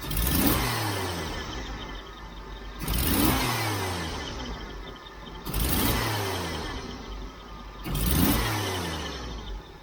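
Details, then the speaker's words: Jeep CJ-7 with aftermarket fuel injection, timing just advanced to about 10–12°, belt squeaking slightly: four sharp throttle blips, each rev rising unevenly with a hesitation before dropping back to idle, the long-standing stumble; accelerator pump adjustment tried next. "stumble that has always been there with this fuel injection always"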